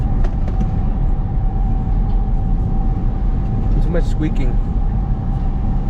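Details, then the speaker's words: Nissan 350Z/G35 with a brief squeak every time the steering wheel is turned, over a low idling rumble; steering rack suspected, owner thinks non-ATF fluid in the power steering pump may cause rack issues; rack replacement planned. "guys hear that squeaking? Every single time I turn? You guys hear it?"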